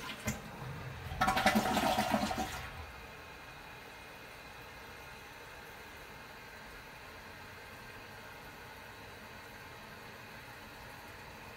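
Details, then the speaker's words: Costco one-piece toilet after overnight CLR soak dissolving mineral buildup in the tank mechanism: short rushing flush then soft steady refill hiss, no end-of-fill noise; quiet like new. "after waiting overnight letting the CLR dissolve any minerals in the back tank there now the flush is pretty quiet and sounds canaliculi when it was new"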